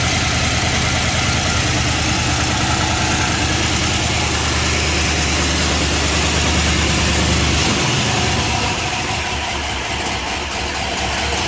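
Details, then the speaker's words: 1978 Chrysler Newport after fuel pump replacement, first run in a long time, oil level full but likely old and thick: steady idle with fast light chatter about three ticks a second; suspected lifter chatter, unconfirmed. "It sounds good other than that chatter."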